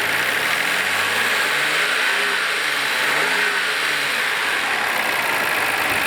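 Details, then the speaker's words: 1991 Nissan Skyline R32 GT-R, RB26 engine, 81,017 km: busy mechanical whirr rising and falling with light throttle, running evenly. The engine runs well; RB26s are noisy, so this clatter is normal. "Engine seems to be running well. RB26s are noisy engines, so it's normal to sound like this."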